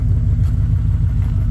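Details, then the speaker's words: Engine running at steady fast idle around 1000 rpm per tach, even low rumble that won't settle; owner suspects plugged exhaust and missing airbox; good oil pressure, not getting hot, burnt mouse nest removed from valve. "I bet you if I put the airbox back together it probably idle down a little bit too but uh yeah there we go running and idling"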